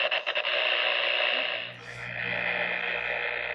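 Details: Amateur radio on 2 meters (146 MHz) with 10–20 dB attenuation, pinpointing a suspect power pole: harsh raspy buzz with steady hum and hissy top, pulsing about four times a second; power-line interference suspected, not confirmed.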